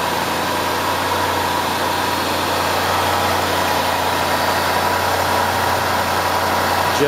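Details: Low-mileage (about 28,200 miles) 2011 Range Rover L322 Supercharged, 5.0L AJ133 direct-injection engine at idle: smooth steady idle with fine even injector tick, no timing chain tensioner rattle or supercharger coupler noise; healthy baseline sound.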